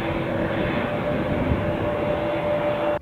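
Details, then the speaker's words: PS4 Pro console fan running loud with a steady jet-like rushing whoosh at constant pitch during games, worse since a system update; loud cooling fan noise. "One thing that all owners of a PS4 Pro know is you need a good headset if you want to hear your game. Because put on any game and it will sound like this."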